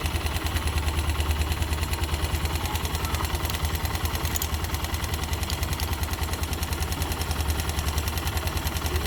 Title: Barulho no motor yb